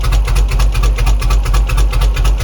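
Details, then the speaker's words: 2004 Chevy Express 3500 6.0 L first start after sitting five years: low lumpy idle with a heavy uneven pulse, like running on one cylinder, stalls when throttled down; good oil pressure, no knocking; rough running. "Why does it sound like it's running on one cylinder? It is not happy."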